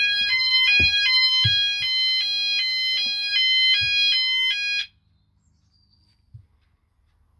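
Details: E.M.S. FirePoint System 5004 house fire alarm, Sound Alarms pressed on panel, all sounders running: loud high-pitched chirping in fast regular pattern about five seconds then cut to silence on silencing; full evacuation tone.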